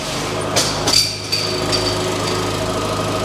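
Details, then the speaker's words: Vauxhall Adam bought from a salvage auction: quiet, steady, even idle with no knock or tick, apart from a few handling clicks and the air-con compressor clutch clicking in. "and it does sound it sounds good as well actually engine's nice and quiet"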